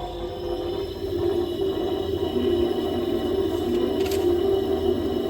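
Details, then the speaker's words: Countertop ice maker with compressor running noisier than normal and zero ice output: steady loud droning hum with a wavering mid-pitched tone; the hidden internal cooling fan may have failed. "So, is your ice maker making this sound, but it's dropping zero ice?"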